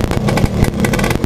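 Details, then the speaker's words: Yamaha Alfa two-stroke after top-end rebuild (broken ring that had rotated and snagged the port replaced): even putter, no rattle or clatter from the barrel, strong compression, healthy; idle slightly low, air screw setting still off. "piston sini, suaranya adem ya, adem, nggak ada krecek krecek krecek atau apa, nggak ada. Apalagi enak, gas-gasan enak."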